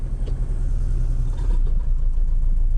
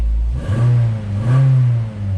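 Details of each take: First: 2009 Nissan Altima just started, running rough and smoking: lumpy low rumble with uneven chug at idle, sounds like a tractor. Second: 2009 Nissan Altima after fixing loose, dry-rotted wiring harness connectors: two quick throttle blips with revs rising and falling cleanly, no stumble. The earlier rough-running misfire is fixed, though the smoking at first start remains.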